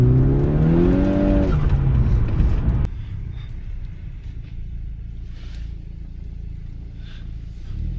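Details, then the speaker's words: VW MK6 Golf R, Stage 2+ tuned, old clutch before the ECS stage 2 clutch kit install, on a hard pull: engine pitch climbs fast, revs flare ahead of load then sag and drone, strong burnt smell; slipping clutch. "So my clutch is absolutely toasted. I can smell it really bad just from that one pull."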